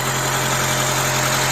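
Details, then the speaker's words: Honda Element SC, rebuilt swap engine with decked block, restarted: smooth, steady idle, even low hum, no knocks, ticks or misses, no bubbles; sounds really good. "It sounds pretty good. It sounds really good, actually. It sounds better than my car."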